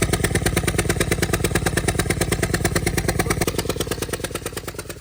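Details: 2015 Ford Escape 1.6L EcoBoost, replacement engine fitted a year earlier, cylinder 4 misfire code: loud, even puffing chuff about three times a second over idle, lawnmower-like; spark plug blown out, from rear of engine.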